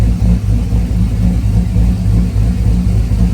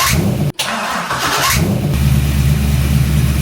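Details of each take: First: Car engine running steadily, holding 203–207 for 24 minutes versus 220 before. Deep, even note with no knocks, misses or whine; normal running. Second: Car with a battery-draining problem, cranked after priming the fuel pump: short harsh whirring grind from the starter, then the engine catches and settles into a steady low idle.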